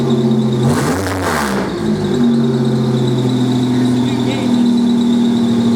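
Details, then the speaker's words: 1987 Buick Grand National Turbo, start with the new motor just installed and new gauges: a short crank, then it catches with a rev and settles into a steady, deep, even idle, a normal healthy start and idle. "I finally got the engine in the Buick and she sounds pretty damn mean still got some work to do before I take it for a drive"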